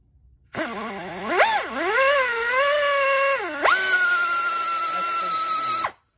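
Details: OEM Tools 24415 1/4" air impact ratchet, rated 50 ft-lb and 700 rpm, run at full throttle: spins up to a clean, high, steady whine and holds it evenly without stutter; normal full-speed running.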